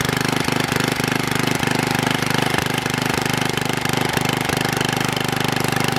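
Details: Troy-Bilt Super Bronco tiller, bought locked up, possibly stuck reels, now repaired with exhaust warm: small single runs steady and even at a fast idle, clean regular beat, no misses or knocking; normal running.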